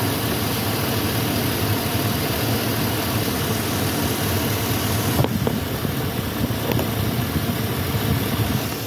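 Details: Warm 5.3 V8 idling smooth and even with the oil cap off and the rocker moving with plenty of oil, a steady low rumble with no stumble; good oil pressure, and the engine sounds healthy.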